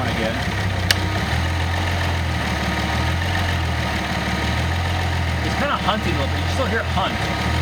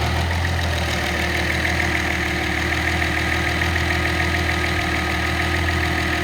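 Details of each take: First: Nissan L28ET turbo engine using a VG30ET controller to drive a Ford IAC valve; the idle drone rises and falls slowly, surging every second or so, until the IAC throw is decreased. Hunting idle. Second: Nissan L28ET turbo engine, warm, with a VG30ET controller driving a Ford IAC valve: steady even idle with no surge as the AC is switched back on. The IAC raises idle from about 600 to about 800 rpm; normal idle under AC load.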